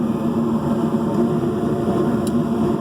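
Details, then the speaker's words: York gas pack furnace, previously misdiagnosed with a condemned igniter assembly: flame sensor heated and sent microamps to the board, which opened the main valve; burners fire with a steady, even, clean roar, no popping or flutter; normal burner operation. "then that told the board to go ahead and open up the main valve and the burners which it did so we're in good shape guys"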